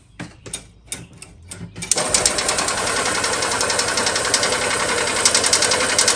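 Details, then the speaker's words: 1970s EZGO golf cart engine after internal starter-generator brush repair, choked: a few slow cranks then a rough, busy, ticking run; flooding because the new carburettor's float needle isn't seating, fuel pouring from the drain. "i choke it's choking so back and forth i should choke it again and see the needle is not seating in this car we flood now"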